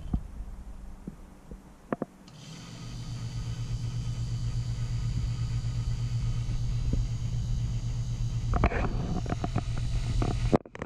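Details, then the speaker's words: Taco circulator on a purged heated driveway/snowmelt loop: after a few clicks it settles into a steady low drone and hum; owner suspects vibration transferred from being screwed directly to the studs, may need rubber isolation pads. "the hum here the low low drone i think is because i i screwed it right to the studs so you know i'm sure it's transferring some vibration to the frame"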